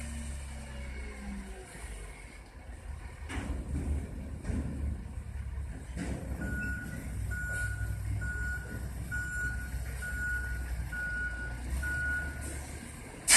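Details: Waste-hauler diesel truck reversing near an elementary school. Evenly spaced high beeps about once a second sound over the rumbling engine; the normal backup alarm is working.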